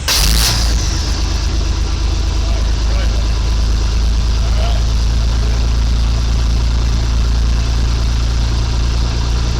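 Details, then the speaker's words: 1985 Chevy C10 with new custom exhaust and overdrive transmission, camera by the tailpipe, just started without coolant circulating: deep steady idle rumble, a bit loud but no puffing or ticking. Normal exhaust note, no leaks. "you can kind of hear it back there but a little louder than I want it to be but it'll be okay it's got an overdrive transmission"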